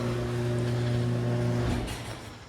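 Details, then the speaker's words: House inspection at 825 Jane Ave, garage door opener: steady, even motor hum with low drone for about a second and a half, stopping cleanly; opener works. "so I'm going to guess the breaker box is in the garage so we will go through this door so garage door opener does work"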